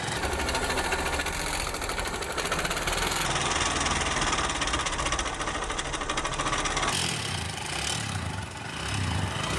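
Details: Honda SP 125 BS6 motorcycle run without engine oil: loud uneven ticking metallic clatter over idle; camshaft ruined and rocker bearings loose or seized from oil starvation.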